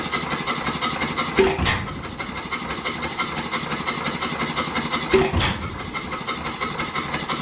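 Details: 100+ year old single-cylinder hit-and-miss oil-field engine, abandoned for years, fully torn down and rebuilt: a loud firing bang roughly every four seconds with quiet coasting between; normal running.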